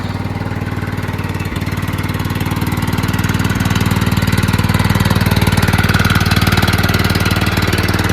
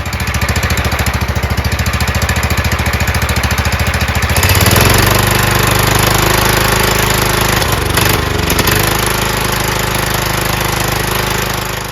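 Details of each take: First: John Deere LT160 rebuilt Kohler Command single-cylinder (16 hp block, 15 hp crank and rod) at full throttle riding around the block after about an hour of running; steady even thump under load, no misses or knocks; normal running. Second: John Deere LT160 Kohler Command single-cylinder on a new carburetor, gravity-fed fuel bypassing the mechanical pump; quick even idle pulses then speed jumps and hangs uneven; new carburetor's idle speed misadjusted, needs adjustment.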